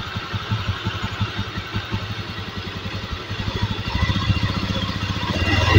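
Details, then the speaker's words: Honda Beat eSP 2016 scooter after reconnecting a broken wire that killed all electrics, charging and dual starter; small single-cylinder idling with a regular even putter rising slightly at the end; runs smooth, battery charging normal again. "Oke motor sudah berbunyi lalu Coba sekarang kita cek pengisian akinya Mas"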